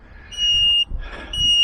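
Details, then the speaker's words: Van alarm sounding in repeated shrill half-second blasts with short gaps, triggered because the front battery, which runs ignition and central locking, is low. "But the alarm's going off again because the van battery is low."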